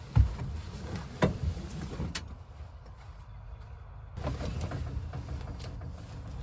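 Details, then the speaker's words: Old Dodge van that sat since 1986, neutral safety switch bypassed, power confirmed at coil: the starter churns the engine over with a plain, lazy rhythm but it never fires; no spark from the coil, the ignition module is melted. "All right, no spark outside the coil. So. Anybody that works on these old Dodges knows that the little ignition module box goes bad."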